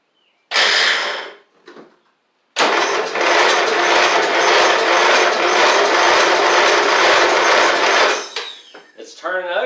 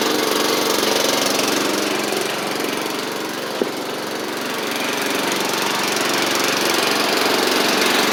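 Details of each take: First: Troy-Bilt Pony mower swapped to a Briggs & Stratton flathead, oil added to help it fire: sluggish starter cranking, about two turns a second for six seconds without firing; battery too dead, though it seems to have compression; slow cranking, weak battery. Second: Troy-Bilt Pony mower with its Powermore engine swapped for a Briggs & Stratton flathead, driven up and down after the rebuild: single cylinder runs at a steady, even pace with no misses or knocks; normal running.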